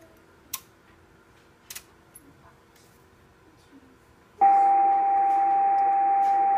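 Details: Yaesu FT950 receiver, powered with no antennas connected: after quiet clicks a loud, constant mid-pitched beep starts and holds steady on most bands; unexplained background tone in receiver audio.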